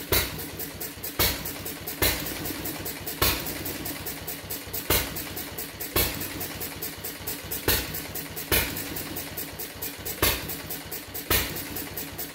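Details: Fuller and Johnson hit-and-miss engine on first run after cleanup, battery and 6-volt coil box, started with a little choke: sharp pop about every second, wheezing coast between; heavy firing, owner suspects running rich, plans checking mixer and RPM.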